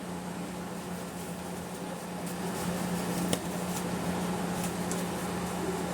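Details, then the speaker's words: Panasonic microwave after capacitor replacement, which earlier made a loud welder-like noise and wouldn't heat. Now steady low transformer hum with fan whoosh, running normally and heating a cup of water for 30 seconds. "Aí não sei se vai perceber no vídeo aí, ó. Mas a água esquentou aí mais um que volta a funcionar."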